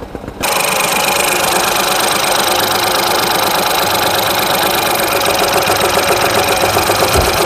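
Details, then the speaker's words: Ford EcoSport 3-cylinder EcoBoost petrol, check engine light on: engine catches into lumpy, shaking idle, whole car vibrating, irregular beat with cylinder dropping out. "Check engine light ए रहा है पुरी गाड़ी vibrate कर रही है"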